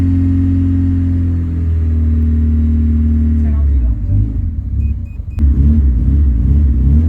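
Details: Honda Civic EK hatch just started after engine rebuild: some revving, then an uneven, hunting idle that won't hold steady; idle speed not yet set.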